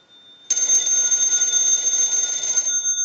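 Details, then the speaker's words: Western Electric 202 telephone with bell box, checks after repair and conversion, rung from a test analyzer: bright, steady high-pitched bell ringing evenly about two seconds, then stopping cleanly; normal bell ring. "So now what we want to do is we want to go ahead and use the analyzer, and we'll ring the bell box."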